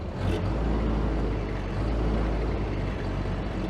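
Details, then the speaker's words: Ford-script Willys army Jeep with no idle circuit fuel in the carburettor; low, lumpy engine runs rough, kept alive by feathering the accelerator, and stops when foot comes off; carburettor problem. "Sort of runs really rough. When she wants to cut out, you give it a couple little pumps, it'll go again. But if we take the foot off the accelerator, it just comes back and stops."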